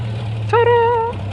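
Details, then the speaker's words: 1989 Jeep Cherokee 4.0L inline-six (Renix), first run after a new fuel tank and fuel pump were fitted. Low, steady idle hum with no knocks, misses or surging: normal idle. "yeah baby needs a little work but it's getting there it's getting there yeah buddy whoo-hoo that sounds good"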